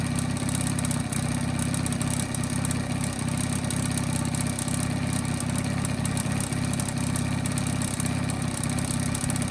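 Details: 1985 Honda Spree two-stroke scooter that bogged with no power. Buzzes steadily and picks up cleanly on quick throttle blips with an even rasp; revs normally now.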